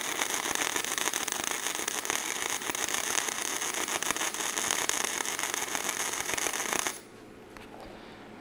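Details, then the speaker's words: MIG wire welder running practice beads on scrap steel: steady harsh crackle with sputtering pops for about seven seconds, sparking from too little voltage; the setting is to be turned up slightly, to about 42. "one thing I kind of noticed right off, it's sparking a little bit. Sounds like we don't quite have enough voltage there, so we're going to turn that up just a little bit there, maybe 42 it says."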